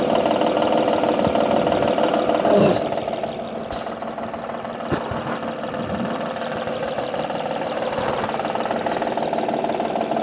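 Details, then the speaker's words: 2005-2010 Honda Odyssey 3.5 L at idle, top cover off: steady ticking knock about three per second following engine speed, intermittent; belt surface scuffed, tensioner suspected failing; timing belt tensioner knock. "So the noise is still there. Looking at the belt, and the surface of the belt is kind of scuffed. It's a big possibility that the tensioner is failing."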